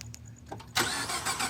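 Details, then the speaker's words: 2014 Ford F-150 EcoBoost, 125,000 miles, cold morning start: cranks and catches with a harsh loud metallic rattle from the cam phasers of the variable valve timing, as oil drains out overnight; gone once warm. "That sound comes from the cam phasers. They're part of the engine's variable valve timing system."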